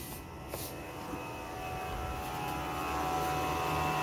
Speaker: Now the Fan is much louder and RPM of the fan has increased Its more noisy now!! This is completely normal